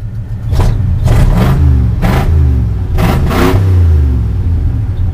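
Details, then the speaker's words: Rumbling engine blipped in short bursts: hesitates and stutters as the throttle first opens, puff-puff exhaust and slight shake, one cylinder firing weakly and won't rev with its plug pulled; low compression suspected, running rich, choke not opening. "and when you first open it up it kind of hesitates it stutters just a little bit and we get that one cylinder"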